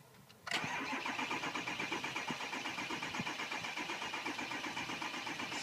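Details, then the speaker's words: 2006 Ford 6.0 Powerstroke diesel crank no start: steady cranking about four beats per second, never fires. FICM 50 V but zero ICP, no sync, IPR going 15% to 85%; suspected high-pressure oil coupler or fuel rail plug, not confirmed. "okay here I have another one crank no start I've got the cycle the key got the F voltage at 50 zero ICP zero sync IPR at the normal 15% or"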